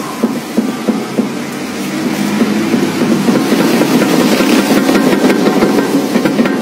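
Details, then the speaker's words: Nissan Urvan, front wheel rocked by hand: sharp metallic knocks about three a second from a worn lower ball joint on the left, driver's side. "Esta es la Nissan Urban tiene problemas en la rótula inferior del lado izquierdo Es decir de lado el chofer muevela y compañero miren Cómo hace"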